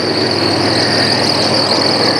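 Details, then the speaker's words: 1994 Astro van at idle with a steady high-pitched squeal from a pulley after a 200 amp alternator was fitted, cause not yet found; the idle is also slightly high and surging. "i put a 200 amp alternator on it to make that noise sense but well i'll figure that out later"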